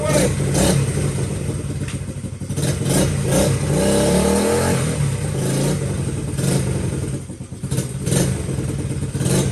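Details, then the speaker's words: Honda XL70 K0 single-cylinder, started off the table while checking clutch adjustment, not yet warmed up: crisp putter that revs up and settles smoothly with no knocks or misses; good running engine. "But I think we'll get that to work. Boy, this is a good running bike."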